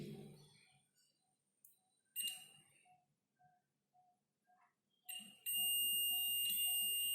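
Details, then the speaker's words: Multimeter on continuity setting with positive and negative probes touched together: quiet handling clicks, then a steady high-pitched continuous beep, the normal continuity sound. "is there is sound, continuity sound."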